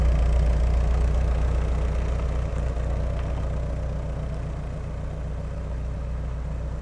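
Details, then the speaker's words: 1988 VW Westfalia camper after wrenching, warmed up after a drive at 50–55 and parked in the driveway to hear the fan come on. Loud but even low idle pulsing steadily with the fan running, no knocks or misses. Normal idle; loud but typical for these. "that's more like it it's loud but they're all loud so that should do"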